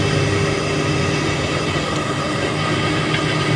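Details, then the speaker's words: Deep-well tubewell motor after replacing both bearings to cure loud noise: steady, even hum with smooth fan whoosh, no grinding or bearing rumble, now running quiet. "Motor on हो गई है और इसमें किसी तरह की कोई आवाज हमें सुनने को नहीं मिल रही है"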